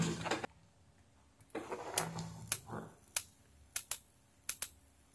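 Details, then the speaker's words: S-500-12 12V 40A 500W industrial SMPS (KA7500/TL494 half-bridge), powered through a series bulb: sharp ticking about twice a second over a faint hum; output high, 17–20V, fluctuating and unregulated. "ติ๊กๆเสียงหึ่งๆบ้างและมันก็ผันผวนเช่นกัน"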